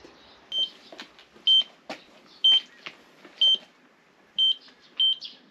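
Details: Factory pipe leak detection with tracer gas: high, sharp beeps about once a second over quiet background as the detector reacts near the leak.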